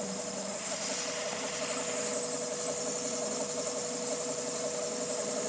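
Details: 2000 Honda Civic EX with rebuilt D16Y8 engine: rough, noisy idle with fast uneven tapping and high whine; owner suspects cam pulley, timing tensioner or a bearing, and something doesn't rotate smoothly; mechanical timing appears correct.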